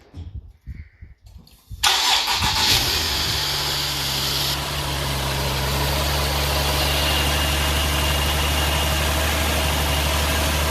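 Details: Nissan 370Z during rebuild, first start attempt after fitting a new battery; cranks briefly, catches at once and settles into a smooth steady idle with an even tone, normal start and idle.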